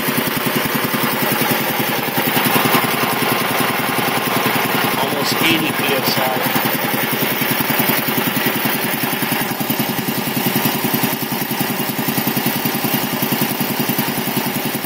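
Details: 1975 Quincy QR 325 air compressor converted to a GE 5HP single-phase TEFC motor, pump at 621 rpm instead of 796 to keep amps down; steady, even piston thumping with no knocks or squeals. Runs smooth and quiet, normal.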